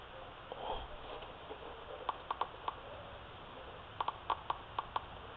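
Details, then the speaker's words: Laptop speaker tested with multitester probes: sharp irregular crackling clicks at each touch, reading about 4 ohms; speaker working. "you hear that crackling sound, if you can hear that, that means your speaker is good."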